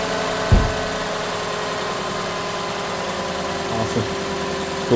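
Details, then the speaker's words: 2008 Lexus LS460 after replacing noisy serpentine belt tensioner pulley: smooth even idle with low steady hum, no belt shriek or chirp; belt drive quiet and healthy, normal idle. "Start it up. Check our work. Make sure the noise gone. And call it a day."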